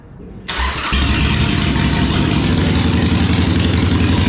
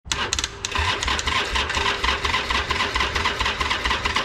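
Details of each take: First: Used Harley-Davidson Iron 883 V-twin, first start after fresh fuel and a fully charged replacement battery: brief crank, then fires and settles into a strong, even, deep-throated lope; runs clean and healthy. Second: Harley-Davidson Iron 883 Sportster: starter churns with an uneven, slowish chug and never catches; long crank and no start from a weak battery.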